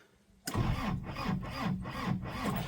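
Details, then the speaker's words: Vehicle stored for an unknown time in a late mechanic's workshop, started: catches at once and settles into a steady chugging idle with rhythmic pulse; normal start, runs sweet. "she fires up? There you go. Listen to that. Sweet as a nut."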